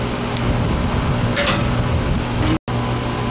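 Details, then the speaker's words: Older R22 residential AC condenser called in for compressor not running, now running with gauges attached: steady even hum, low drone and fan rush, no clicking or rattling; pressures and charge judged fine, compressor running normally. "it's R22 so this these pressures aren't looking crazy bad but let's let it run for a bit"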